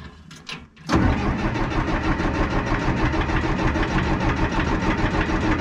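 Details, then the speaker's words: 1975 Cat D3 dozer diesel, first start attempt without preheating on a warm day: short whir then steady cranking about three turns a second that never fires; fuel smoke visible at exhaust, owner suspects it needs preheating. "it's got fuel like I can see the uh the smoke going through the exhaust let it sit for a minute I'll give it another try I may need to do some preheating"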